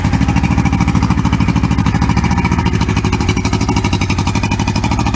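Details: 1994 Suzuki 115 two-stroke outboard, cold-started after sitting 24 hours with Seafoam soaked overnight; it usually failed to start after sitting: even, quick pulses at a steady idle with no misses. Starts and runs cleanly after the treatment.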